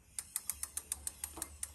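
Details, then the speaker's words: Avid BB5 mechanical disc brake on a bike, wheel spun by hand during adjustment: light rhythmic scrape-tick about seven times a second as the fixed-side pad rubs the disc; fixed by turning the pad adjuster counterclockwise notch by notch until rubbing stops. "ce que je vais faire c'est que je vais faire tourner la roue donc là typiquement on entend la plaquette qui frotte"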